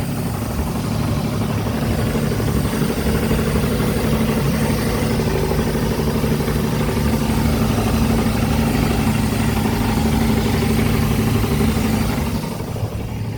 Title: Volvo Penta 4.3GL-E SX Stern Drive - Knocking noise